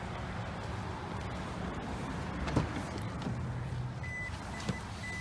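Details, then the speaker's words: 2007 Toyota Prius with no electrical power (no dash, no dome light, wouldn't jump-start) after 12V battery replacement: three short high beeps, normal power-on chime, car powers up and starts. "oh there is a beep there is a beep and it's on"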